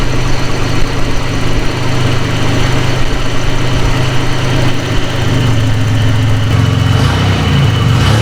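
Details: Nissan 300ZX first start after timing belt, water pump, thermostat, belts, plugs, wires, new battery and coolant refill: loud, steady idle with a constant low drone and no knock or belt chirp; normal running.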